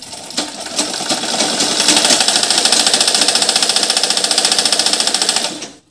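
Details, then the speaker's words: Two-month-old sewing machine running up to speed with a loud, harsh metallic clatter; the noise comes from dry, unlubricated moving parts and ball bearings. "মানে অনেক শব্দ মানে এই শব্দটা কিন্তু original মেশিনের শব্দ নয় এটা বাইরে একটা অন্য একটা মানে একটা শব্দ দূষণ করতেছে"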